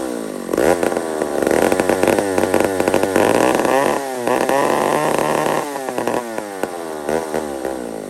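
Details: Old McCulloch 1-71 chainsaw after a carburetor upgrade: surges and hunts, revs climbing and falling unevenly instead of settling; owner sees a huge vacuum leak at the intake gasket.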